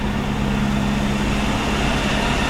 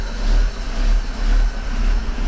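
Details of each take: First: 1949 Buick Roadmaster hearse straight-eight, revived after sitting over six years (points filed, fuel pump and carburetor fixed), running cold: steady, even low burble at idle with no knocks, misses or ticks; normal idle, oil pressure between N and H. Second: 1949 Buick Roadmaster hearse, sat over 6 years, first run with choke on: low, lumpy idle surging and sagging; carburetor needle valve not working, float chamber overfilled and flooding, running rich and spraying gasoline.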